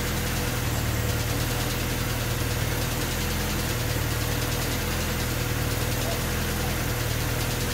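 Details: Honda D16Y8 engine on P28 ECU, idle after new spark plug wires and cleaned IACV reinstalled: uneven wavering beat dips and recovers, wants to stall; rough hunting idle unchanged by wires and IACV, cause unclear.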